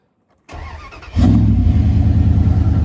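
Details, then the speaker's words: Cheap engine for a Jeep build, spark plugs just gapped to .035 and air cleaner still missing: quick crank, then a clean, steady idle with no miss. It starts well, though the exhaust is badly hacked. "like it starts up pretty good. It doesn't seem like it has that little miss or anything. It sounds good, but the exhaust is absolute trash on this truck."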